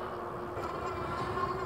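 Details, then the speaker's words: Troxus Lynx class 3 fat-tire e-bike with Bafang hub motor: steady distinct electric whine over soft road noise while cruising under throttle. "Can you guys hear the motor whine? Take off the throttle. Here we go again. Yeah, so you can definitely hear the motor on this bike."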